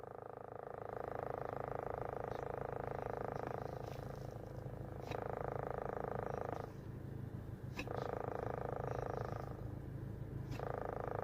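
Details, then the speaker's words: Toyota Corolla with the AC running gives a steady low cabin hum with a higher droning tone swelling and fading every second or two. It is felt on the passenger/blower side and traced to near the sunroof. "अच्छा अली भाई, ये आवाज़ चेक करें जो आप कहते थे ना एसी चलाने पे ब्लोर वाली साइड पे यहाँ से फील होती थी।"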